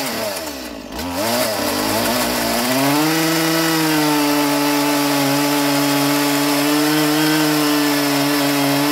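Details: Stihl MS170 roadside-find chainsaw, first run in years with a filthy, uncleaned carburettor, cutting timber. Revs climb then hold a steady high buzzing whine, pitch even under load; pulls strongly.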